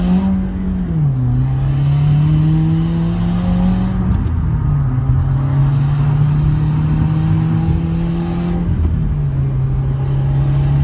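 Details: 2017 Subaru WRX, stock, no mods or tune; buzzy, tinny metallic rattle on the exhaust note at high RPM under high boost: missing, snapped-off exhaust manifold nut causing boost and exhaust leak, second occurrence.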